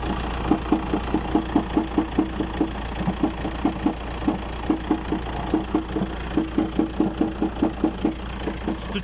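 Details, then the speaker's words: 2008 Volkswagen Transporter T5 engine idling cold: a sharp, regular knock about two to three a second over a steady hum, which stops once the engine warms up; a service shop called it harmless, due to age. "но звучит это тогда когда машина еще пока не прогретая в холодная когда она но потеплеет машина потеплее до двигатель то тогда этот ток прекращается"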